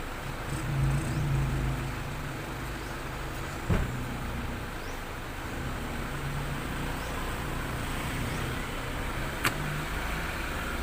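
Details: Toyota Soluna after replacing a failed EFI relay that had cut spark and caused a no-start: quiet steady engine note rising cleanly on a light rev, no misfire or stumble; healthy.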